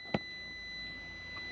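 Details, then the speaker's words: Toyota 70 Series Landcruiser facelift after under-bonnet dual battery install: click then constant high-pitched buzz from the dual battery switch indicator buzzer, working normally. "that illuminates you can hear the buzzer come on"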